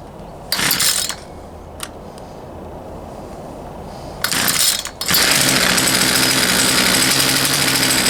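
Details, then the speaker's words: Poulan Pro 222 38cc chainsaw that won't start; two short bursts of firing die out, then a ragged run. The fuel lines were plumbed incorrectly, with the fuel line feeding the primer bulb instead of the carburetor, and the return line was missing. "all right all right everybody as you saw it wanted to run but it just it wouldn't so did a little digging into it more and some research and realized that whoever plumbed those fuel lines did not Plum them correctly"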